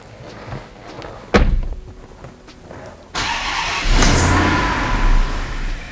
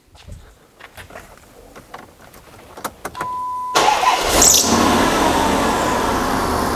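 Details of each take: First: Twin-charged (turbo plus supercharged) Hemi V8 Dodge Magnum, early runs after first fire-up: faint ticks and a thud, then catches and runs roughly for a second or two and dies, unable to hold idle; owner initially attributed it to tuning. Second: Twin-charged (turbo plus supercharger) Hemi Dodge Magnum with the exhaust cutouts closed. Short crank, then a steady, subdued V8 idle like a stock Hemi, no knocks or misses. Normal idle.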